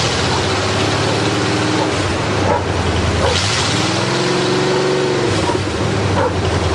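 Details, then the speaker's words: Buick Roadmaster with 5.7 L throttle-body fuel-injected V8 on chopped custom open headers, first startup after many repairs: a loud, raw, steady rumble with a slight rev blip and no knocks or misses, so it is running strong. "Now let's see if it starts and see how it sounds. 5.7 liter fuel injected throttle body V8."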